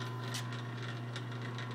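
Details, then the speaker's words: Clausing 6315 lathe running in back gear with the motor on: low, steady motor hum with soft light ticking as the back gear turns very slowly, smooth and even. Everything sounds good and works, normal running. "and you see the back gear is moving very very slowly and everything sounds good and works just"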